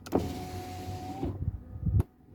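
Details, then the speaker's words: 2010-2014 Kia Sorento driver window master switch stuck down, before replacement: window motor hums about a second, then thumps and strains at the bottom stop as the contact disconnects. "okay the contact is disconnecting after the motor reached the end of the down level but still it's annoying"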